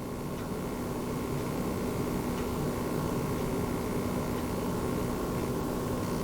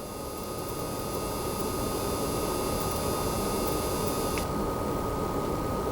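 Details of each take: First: Launch-model base PS5 running a game, microphone right above the console: only a faint even hiss and soft steady hum, barely audible; normal fan noise. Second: Newer-revision base PS5 running Gems of War, a PS4 game, in the pause menu: thin, steady high-pitched coil whine behind soft fan hiss, then upper tones cut out; whine disappears on the PlayStation home screen.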